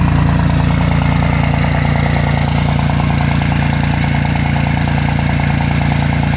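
Loud diesel at high idle with a heavy, lopsided throb about three or four times a second, suggesting one or more cylinders not firing. Cause suspected, not confirmed.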